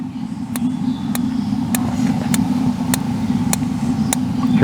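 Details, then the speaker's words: RV Dometic refrigerator on auto, AC unplugged, trying to light on LP gas after a couple of years unused: evenly spaced igniter ticks over the water heater's burner roar; normal while clicking, and it lit. "As long as it's clicking, it's trying to ignite. If it stops clicking, we'll go in and we'll see that we have a check light."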